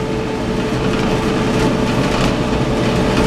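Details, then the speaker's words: Clothes dryer that would not start, running after the timer (timing device) was replaced, since the old one rattled: steady even drum rumble with faint hum, no squeal or scrape; normal running. "The little timing device. As you can tell, it's running right now."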